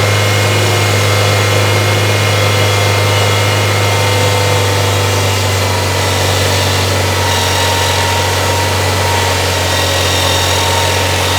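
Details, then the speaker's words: 1994 Toyota Celica idling with accessories on (AC off, blower on low) during charging system diagnosis for an intermittent battery light: thin high-pitched whine fading in and out, a noisy alternator singing. "You don't hear that pitch, that whine that's coming and going? That's the alternator. You hear that whine, Jake? That's your alternator singing."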